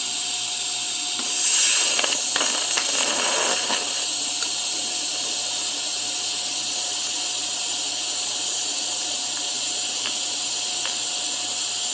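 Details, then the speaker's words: Cheap TIG welder laying a bead with an unsharpened tungsten: a hissing arc that surges and crackles unevenly, jumping left and right, then settles; the arc wander comes from a dull tungsten that needs sharpening. "see how it you can see it you can hear it if my arc is jumping left and right"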